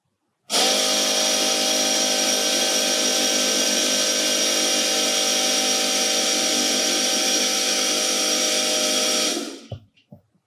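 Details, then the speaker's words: Ariel Atom replica homebuilt car, fuel pump wired directly to battery while tank is rebuilt against fuel surge: steady even high-pitched electric buzz for about nine seconds then stops; pump running normally. "we connected wire directly to the fuel pump so I could just touch it to the battery and check what's going on."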